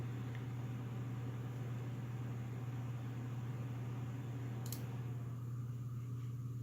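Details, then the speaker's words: Corsair SP120 LED fans at full speed, front of a Corsair H60 (2018) radiator in push-pull with the stock H60 fan at rear, in a Silverstone Sugo SG13 case. Smooth, constant low whoosh and hum, no ticking or rattle: normal. "Now I'm gonna go ahead and turn on the SP120s at full speed, and you could hear the difference compared to the ones that come with the H60 water cooler. That's also full speed of the SP120s."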